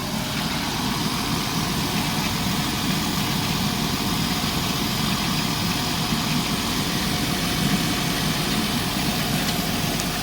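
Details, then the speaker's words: Chrysler Town and Country after head gasket replacement, first start with heater on and coolant being added: steady petrol idle under a faint constant hiss from a small vacuum leak at a kinked line, which changes the idle. "You can hear like a little vacuum leak going on. But yeah, I'm gonna go ahead and take care of the vacuum leak."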